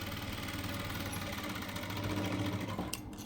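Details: Jack F4 sewing machine, running: quick even stitching rhythm, roughly four strokes a second over a smooth motor hum, no dry knocking; the machine runs normally.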